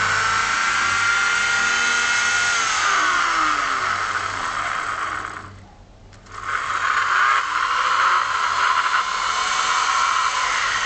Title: Vacuum cleaner 2kW Motor Bearing fail...